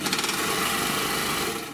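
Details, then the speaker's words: Three-thread GM C1D overlocker sewing thick denim. As the upper knife bites, a fast, even knocking at stitch rate is heard. The upper knife mount has play and is worn from age and constant lack of lubrication, and cannot be repaired. "смотрите слышите верхний нож болтается здесь появился люфт это конечно произошло можно понять ну от времени это одно а второе от не смазанной машинки постоянно"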